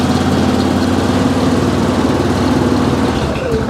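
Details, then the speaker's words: 2002 Yamaha Grizzly 660 single-cylinder ATV revived after sitting 8 years, still cold, idle revved up a hair during a charging check reading about 14.1 V: steady, even low thump, no misses or knocks; normal idle. "there we go that sounds really really good this like i said this thing hasn't ran in eight years"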